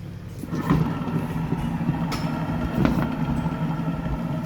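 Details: Toyota Harrier at speed: steady droning whine over road noise, like a motorcycle riding alongside, plus knocking when slowing near a stop, from a stretched CVT belt and worn CVT bearings.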